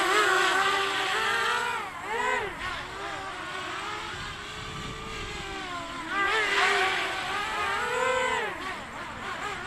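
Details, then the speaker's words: Quadcopter on its maiden flight with a 3-cell 1000 mAh battery: motor whine swings up and down in pitch instead of holding steady; wobbly oscillation, needs tuning, okay in a hover. "Whoa, it's wobbly. She's going to need some tuning. Look at it. Wobble, wobble, wobble."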